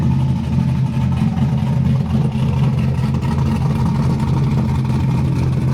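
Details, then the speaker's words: LS V8-swapped Nissan 240SX running outside on the ground, tune not yet dialed in; deep V8 burble with uneven, lumpy, wavering pulse that won't settle; rough idle. "But I don't know what I'm doing with the throttle position sensor and the IAC sensor. So we're gonna wait till he comes over here, helps us get all that dialed in."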